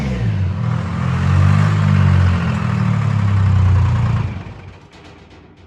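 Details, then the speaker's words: Old Detroit Diesel two-stroke in a woodchipper pulled from the weeds, started on a jump pack before removal: fires almost immediately and settles into a deep, even rumble with no misses; a healthy start. "that was too easy [Laughter] it's like it was she shut it off yesterday"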